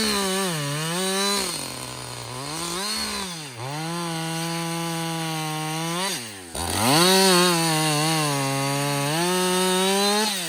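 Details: Husqvarna 562XP 60cc chainsaw, reflashed by the shop after dying when hot, not starting and stumbling, bucking dead windfall about two-thirds into a tank: crisp high revs drop slightly into each cut and pick straight back up; clean and strong, running normally.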